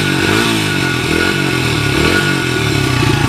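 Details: 1994 Honda XR100R single after a carburetor rebuild, warmed up and nearly out of gas: light throttle blips, revs rising and falling cleanly with no stumbling or missing, no smoke. It runs healthy.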